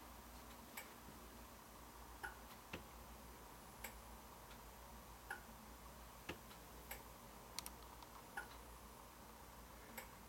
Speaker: the clicking noise you hear of course that's the sound of the relay clicking the lights off and on